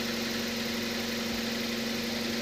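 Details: Petrol engine idling smoothly and evenly after drive-belt conditioner spray was applied the day before; no belt squeal or chirp on start.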